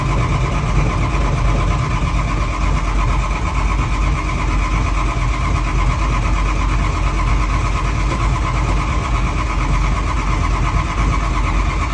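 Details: Long heavy cranking rumble from a 7010 tractor struggling to catch and run evenly; hard starting.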